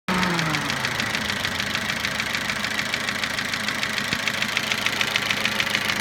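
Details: Toyota Avensis at idle after cylinder resleeving, piston ring replacement and timing drive job: a sharp, fairly regular metallic knock of about three beats a second rides over the idle. Engine knock after the rebuild.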